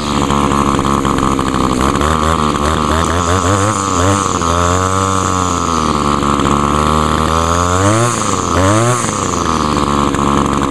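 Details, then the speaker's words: 1989/1990 Echo SRM 2201 two-stroke string trimmer, heavily used commercially, started with choke, primer and wide-open throttle: uneven buzzing with revs surging and sagging; compression is a little low but it still keeps running. "compression is a little low but actually it's got enough where it'll still stay running though believe it or not"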